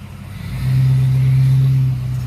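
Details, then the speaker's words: 2005 blue truck, previously misfired from two dead injectors, revved from idle: smooth blip, clean steady tone, returns without stumble; healthy rev, far better than misfiring flatbed. "oh yeah that what a difference it is man [Music] this one runs so much better than the flatbed"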